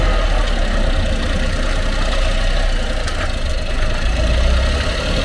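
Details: Honda Acty Truck HA9 SDX 4WD 5MT, 218,000 km, deep rough rumble with loose knocking under engine drone, most noticeable when shifting from forward to reverse; worn propeller shaft universal joint bearing, under 1 mm play, fixed by replacing propeller shaft assembly.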